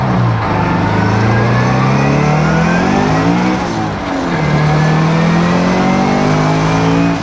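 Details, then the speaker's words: Turbo Scion FR-S, about 400 whp, map 2 at 14.5 psi, after new coil packs: note climbs hard at full throttle, stumbles and drops out, then pulls again; misfires logged on cylinders 1-3, cause unconfirmed. "well there you go and it looks like the misfire counter has a misfire registered four cylinders one two and three now so talk about a weird set of circumstances"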